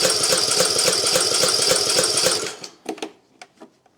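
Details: Craftsman YT 3000 lawn mower on key start with full choke, after a gap adjustment: fast, even starter cranking that never catches. The engine is flooded with excess gas on the plug, though spark is present.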